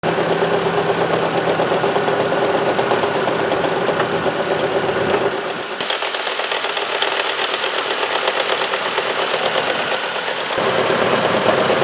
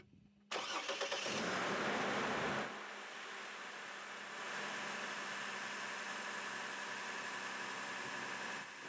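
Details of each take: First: 2003 Chevrolet Trailblazer I6 near 200K miles: steady idle with constant gritty whirring from front accessories, starting after a few minutes' running; noise disappears with drive belt off. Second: 2003 Chevy Trailblazer I6 near 200K miles with a front-of-engine noise that went away with the drive belt off; the fault was traced to the alternator. Reinstalled factory alternator and belt: cranks, catches, flares, then settles to a steady idle with no whine or squeal.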